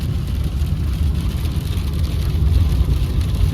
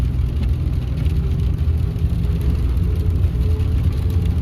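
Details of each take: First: 2016 Ford F150 2.7L V6 twin-turbo 4WD with rear e-locker, driven in 4-wheel drive at 50 mph: steady low road rumble with no whine or howl; quiet drivetrain, noise in 2WD traced to failing front 4WD actuators. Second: 2016 Ford F150 2.7L twin-turbo 4x4 with recently rebuilt rear end, cruising: faint steady mid-pitched whine over road noise, felt in the gas pedal, not mud tires; found to be failing front 4WD actuators, earlier blamed on wheel bearings.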